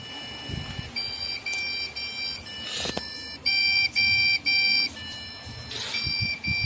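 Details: Lenovo ThinkCentre M91/M92/M92p desktop with no display: the speaker repeats a POST beep code of three quick high beeps followed by one long beep.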